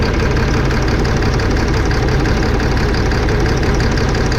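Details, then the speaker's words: 2005 Fleetwood Discovery, Freightliner chassis, Cat C7 diesel with low power, can't exceed 60-65 mph: uneven loping idle; disconnecting injectors 5 and 6 caused no rpm change, so those cylinders misfire from bad injectors. "who disconnected no difference in the engine rpm you could hear the good all right we were gonna go ahead and shut it off so there you have it number five and six not working"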